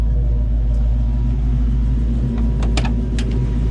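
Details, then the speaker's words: Project 4TO8 car in the shop on a freezing day, before its first drive: deep, steady low rumble with even pulses and a few handling clicks, no knocks or misses; purring like a kitten, smooth healthy idle. "But here she is, just purring like a kitten."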